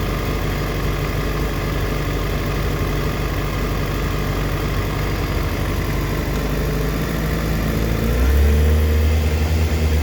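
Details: 2004 Yamaha FZ6 (immobiliser eliminator fitted) misfiring when coming down to idle, dipping as low as 970rpm versus the specified 1260-1320 warm; low uneven idle stumbling about three times a second. Owner suspects a bad ignition coil, a common age-related fault, unconfirmed.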